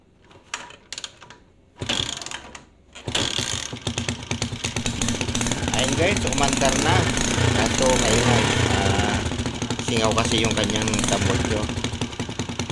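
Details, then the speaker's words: Rusi 125 motorcycle that stalled and would not start from no spark, after the pulser/ignition fault was fixed: kicks over and catches, then settles into a steady, quick single-cylinder putter; running normally. "guys ito na yung ginawa natin guys oh Ayan okay na siya"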